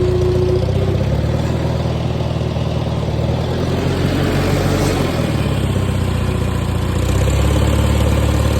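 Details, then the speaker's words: Farmall 230 tractor first start after points setting and 6V-to-12V conversion, carburetor untouched: steady even low chug with no misses, knocks or rattles under light throttle, normal running. "well the engine runs great in it but I want to crank it"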